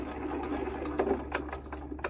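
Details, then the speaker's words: Old Lister diesel generator unused for about 20 years, cranked slowly while decompressed. A faint rhythmic creak comes from the injector on each turn, with no clicking and no leak-off, so the injector is working normally. "oh it did yep that injector is no clicking and we're not leaking off right that's good"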